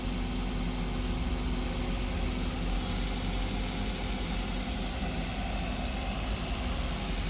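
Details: 2021 Maruti Brezza petrol, 50,000 km, first start after engine overhaul for suspected bent connecting rod, coolant refilled, not revved: even, quiet idle with a smooth low hum and no knocking or ticking; healthy engine.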